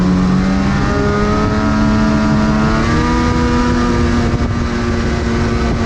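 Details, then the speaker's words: Freeride two-stroke snowmobile while off-trail riding in deep snow: the howl climbs slowly and stays rough and uneven, never pulling cleanly to high revs. Down on top-end power; cause unknown, and a truck and trailer are being fetched. "they're gonna go back get the truck and trailer because that is not doing too good i don't know what it could be"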